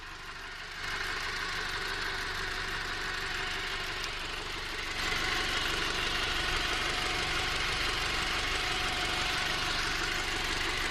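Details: Audi TT Mk2 2.0T BWA engine, manual gearbox, at idle: regular tapping about four per second that stays sharp and quickens when revved; knock present, source undetermined.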